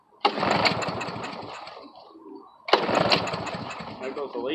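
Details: Briggs & Stratton 5.5 hp lawn mower engine that won't start, tried on fresh gas with air filter off; two pulls each fire it briefly and roughly before it dies, carburetor suspected but unconfirmed; hard starting.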